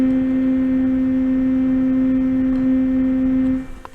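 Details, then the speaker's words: BeQuiet Silent Wings 4 fan in the rear position on a Noctua NH-U12A CPU cooler, 50% PWM, about 1,600 RPM: a loud, pure, steady tonal hum holding over three seconds, then cutting out. Noise fades at 40% and disappears at 30%; cause unconfirmed. "I must say these BeQuiet fans, particularly in the back position, makes a terrible noise on my Noctua cooler."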